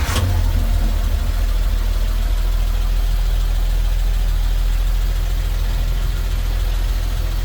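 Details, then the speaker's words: Restored 1955 Dodge Power Wagon, 4-speed manual in neutral, started with foot-push starter under dash: brief catch on starting, then deep, steady low rumble with no misses or knocks, settling into a very smooth normal idle. "And let's go ahead and fire it up. This is a very smooth running one."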